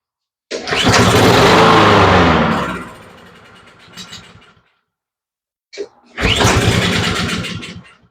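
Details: Honda push mower with fresh fuel added: it catches and runs a couple of seconds, then sags and dies when the choke is opened, restarting and fading again. Suspected slow fuel flow to the carburetor bowl or a clog; not confirmed.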